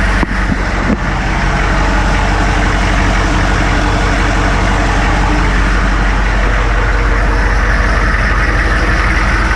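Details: Military Humvee (HMMWV) diesel started after replacing the leaking block-mounted fuel transfer pump, checking for leaks; catches and settles into a steady, even diesel idle clatter, no misses or knocks: normal idle.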